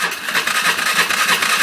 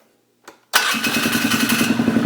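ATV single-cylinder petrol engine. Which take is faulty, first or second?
first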